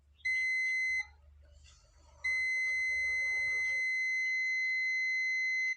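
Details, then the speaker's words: Continuity test on an ACCL (automatic generator changeover with current limiter) board: steady high meter beep, brief break, then a long unbroken tone from the anode of an SMD diode in the last section; the diode reads dead short and has failed. "സെക്ഷനിലും ഒരു SMD diode പോയിട്ടുണ്ട്. ഡയോഡിൻ്റെ ആനോഡിൽ നിന്നാണ് ഈ sound വരുന്നത്. ഷോർട്ടാണ്."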